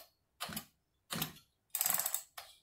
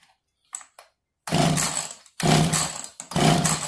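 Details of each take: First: Echo CS330T chainsaw that sat for an unknown time, cylinder wetted with fuel, choke-only start and flooded. Four firm pull strokes, each a rasping whoosh with clear resistance, show strong, normal compression on the pull start. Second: Echo CS330T chainsaw that sat an unknown time, flooded with gas, throttle held open, carb reportedly new, strong compression: repeated short coughs about once a second, each catching briefly and dying, fires but won't keep running.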